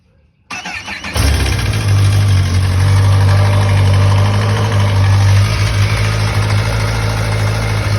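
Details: 2011 Kawasaki ZX-10R (Gen 4) inline-four cranks, fires and idles with a busy metallic cam chain tensioner rattle over the low hum; fix with a PSR cam chain tensioner.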